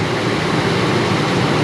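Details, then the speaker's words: Ford F-250 after new spark plugs, plug wires and radiator hoses: deep, steady rumble at idle, engine not shaking, no stumbles; V8 idles evenly with no misfire and runs a lot better. "Other than that, it sounds good. It sounds great."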